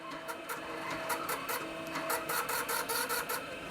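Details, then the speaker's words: Floppy drive in a restored early-1990s Dell 486P/20 (486SX 20MHz) reading an older version-3 software disk chosen because the version-5 disk surface looked ropey: irregular bursts of clicking and rasping seek noise, stopping and restarting; drive struggling to read. Disk condition suspected, not confirmed. "Yeah, so that, well, the surface looked better. It's obviously a drive that's suffering."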